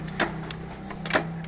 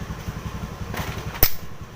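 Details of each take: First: Old Yamaha Vega R motorcycle kick starter slipping and never catching: two quick scraping whirrs over a steady hum. The clutch side is then dismantled to find the cause. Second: Yamaha Vega/Jupiter Z after replacing the slipping kickstarter parts with three new springs: low even chuffing as the kick lever turns the engine over, with sharp clicks; kickstart now engages normally.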